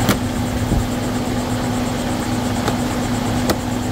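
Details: 2011 Volvo XC90 idling after PCV valve replacement fixed a loud engine whistle, engine now hot; even, steady idle hum with no whistle or hiss and only a couple of faint clicks, running smoothly.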